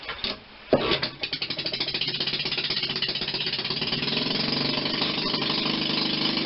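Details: 1940 Maytag model 72 twin-cylinder air-cooled gasoline engine (a hanging washing-machine engine), rebuilt with new rings after being found tight: cranked, it catches and settles into a quick, even popping beat with no misses, running cleanly.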